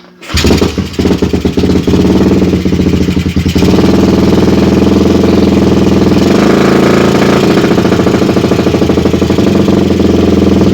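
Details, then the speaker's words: Suzuki Satria FU single on its standard CDI, long unused, with a shifted magnet/pickup suspected: it starts, then runs loud with a choppy, intermittent beat before settling. Rough misfiring; owner suspects long disuse, cause unconfirmed. "cuma saya rada heran itu pakai si Day standarnya ini itu kenapa Agak putus-putus ya suaranya nggak normal karena ini udah lama nggak dipakai ya"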